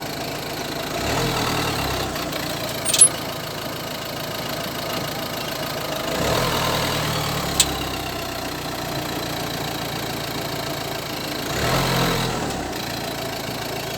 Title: Citroen C5 strange crackling noise from suspension?